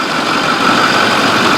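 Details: 6.4 diesel truck after turbo repair. Steady, even idle with a smooth hum, settling cleanly after the start with no knocks or misses. The engine sounds healthy.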